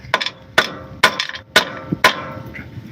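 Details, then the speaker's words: 2010 Pajero front-end rattle: sharp hammer taps on a hollow front crossmember, each followed by a brief loose rattle from stones trapped inside; removing the stones should cure the noise. "I checked everything I couldn't find the problem and eventually it was this the stone in here once you take all these Stones Out it should be okay"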